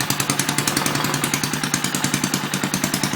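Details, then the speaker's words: Antique 1959-ish Briggs & Stratton 2HP, first start after a complete rebuild. Throttle halfway, full choke, wrong spark plug, no air filter or exhaust pipe. Slow single-cylinder thump about 3.5 beats a second, uneven in strength and spacing; needs carb adjustment. "it needs the carb adjusted"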